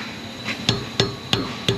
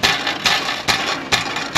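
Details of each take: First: Toyota Highlander exhaust tapped after repair (loose heat shield repaired, rear muffler shield replaced, rubber hangers reinstalled): four solid clean knocks a third of a second apart, no buzzing; heat shield tight, no exhaust rattle. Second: Exhaust with rusted-out heat shield band, shield shaken by hand: sharp tinny metallic rattles in bursts about twice a second; customer reports intermittent rattle at idle and driving; loose heat shield.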